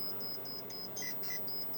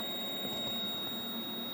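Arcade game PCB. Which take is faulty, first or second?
second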